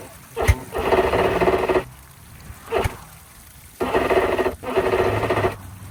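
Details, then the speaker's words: 2005 Johnson 60hp EFI outboard on a Carolina skiff, after new lower unit install, on water hose; short sluggish cranking bursts that drag and stop without catching; battery dropped from 12.1 to 10.7 V after sitting unused, weak battery suspected. "Well, unfortunately, I think it's the battery. Um, we haven't ran this thing in a while since it's been sitting here."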